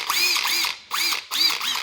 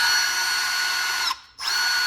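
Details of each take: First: Cordless impact ratchet with no selector switch, judged strong enough for bolts up to about 14 mm: three short, high-pitched whirring bursts with quick clattering impacts, each spinning up cleanly. Normal, healthy impact ratchet operation. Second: it doesn't seem like it spin any faster on one or two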